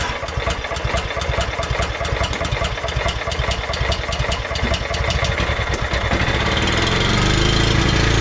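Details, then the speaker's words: Scotts by John Deere lawn tractor repowered with Kohler Command, started by cranking with key circuit bypassed, on choke then full throttle: fast even firing climbing to steady roar without misses; runs well. "But for this to fire up just from cranking it like that and it running at full throttle, it was on choke, took it down to full throttle, and ran really well actually."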